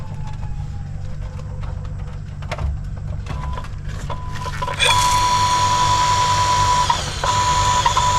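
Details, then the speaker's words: Household water pump that hummed and overheated without turning gives a low hum with a few clicks, then starts and holds a steady even whine once rust debris jamming the impeller is removed. "ครับเมื่อเอาเศษต่างๆที่ติดที่ใบพัออกใบพัดก็จะหมุนแบบนี้นะครับ"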